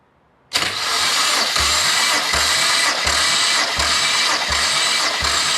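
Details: BMW N54 engine from an E90 335i, out of the car and not warmed up, cranking for a cylinder 2 compression test (185–190 psi): an even cranking beat of about three and a half a second under a hiss of oil running in the rocker cover. Normal.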